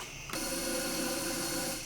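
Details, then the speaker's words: 150K-mile Porsche 996 Turbo running: loud steady hiss with faint whistle starts suddenly high in the engine bay, hard to reach; a disconnected hose was later found; vacuum leak suspected, not confirmed. "sounds like something major up here but it's somewhere where I can't get very close to"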